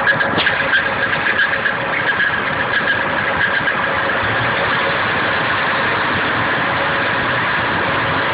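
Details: Nissan KA24DE at idle: light rapid ticking with a faint high squeal, located with a hose to the front timing chain cover only; the owner suspects the timing chain, though the chain was pretty tight.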